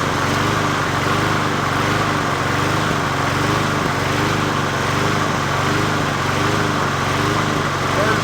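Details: 20" Murray push mower #20201D, first run after straightening its wobbling crankshaft and cleaning: the small single-cylinder engine holds a steady, fast, regular putter with no knocks and sounds healthy; the owner notes it could be low on gas.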